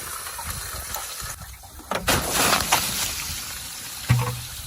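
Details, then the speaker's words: 1979 Ford engine, hot after running: water poured into a hole runs down through the valve cover onto the bottom of the oil pan, giving a soft hiss and crackle as it boils and sizzles inside the engine. "the so the water was going in that hole going down through the valve cover and hitting the bottom of the oil pan you can hear it sizzling down in there there oh it is just boiling everything in"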